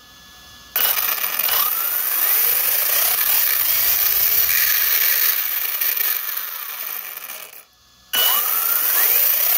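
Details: Tekno ET48.3 RC truck: three bursts of rising and falling motor whine with harsh gritty ratcheting rasp from the center differential area; cause unknown.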